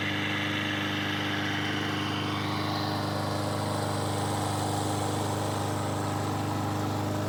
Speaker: Yes, it did start straight away and it seemed to run